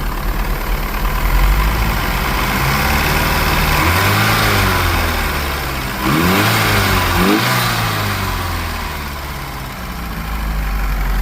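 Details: 1982 Porsche 924 Turbo four-cylinder, first start after rebuild and rebuilt fuel distributor, after correcting badly misadjusted AFM that stopped injectors firing: catches, settles into even idle with a couple of clean smooth rev blips; running healthy.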